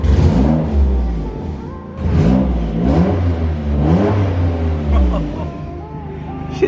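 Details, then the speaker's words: 800 hp Nissan GT-R being revved: the note rises and falls as a deep, flat, boomy drone instead of a crisp GT-R note. Clamps and boost leaks are still to be checked; the owner suspects an exhaust leak, not confirmed. Deep droning exhaust note on revving. "it doesn't even sound like a gtr anymore it sounds like a freaking subaru or something bro it sounds so bad"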